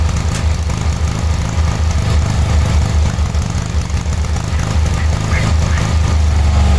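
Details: 1986/1987 Cub Cadet 1106 riding tractor, sat over 4 years, during drive function test: single-cylinder chugs with uneven lumpy beat, rough running; owner suspects dirty spark plug, though plug later looked not too bad.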